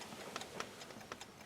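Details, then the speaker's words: 1978 Mercury Marquis junkyard car, unstarted since 1992, heard inside with the engine off before first cranking: faint light ticks about every half second as the original mechanical dash clock still runs. "not a ticking time bomb. The clock still works. How rare is that?"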